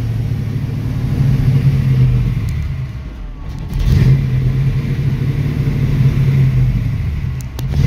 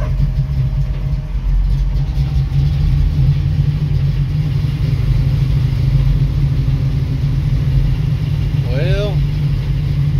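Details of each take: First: 1966 Mustang with a Holley 650 double-pumper carb: the V8 blips on throttle, then sags and dies when the pedal lifts, and idle screw adjustment doesn't help. Fixed by adjusting the throttle blades' transfer slot. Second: 1966 Mustang with Holley 650 double pumper carburetor, after transfer slot adjustment: a steady low even rumble holds without throttle blips, though engine is a little cold-blooded; a dog barks briefly. Carb now idles on its own, normal idle.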